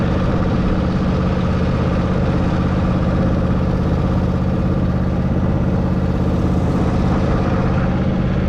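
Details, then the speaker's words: Zero-turn mower, mowing: steady, even low thrum at unchanging speed with no misses, knocks or surging; mows all right and engine runs pretty good. "Not today though, but seem to mow all right. Sounds like she's running pretty good."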